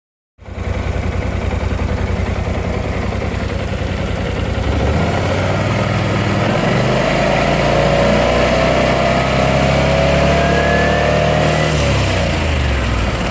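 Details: BMW C600 scooter timing chain noise: a steady rattling chatter at about three per second through the idle, rising with revs as the engine is blipped, pointing to a slack timing chain.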